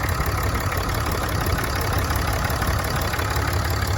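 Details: 2017 Ram 6.7 Cummins diesel idling after crankcase (CCV) filter replacement, checked for leaks: steady clatter with even combustion and no misses, knocks or hissing leaks; running healthy.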